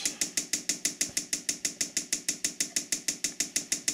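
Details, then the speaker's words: Diesel parking heater on first bench test before installation in a small building, pump drawing from a gallon of diesel: crisp, evenly spaced ticks about three per second as the dosing pump primes fuel; normal priming clicks. "So you can hear the pump clicking. sucking fuel up."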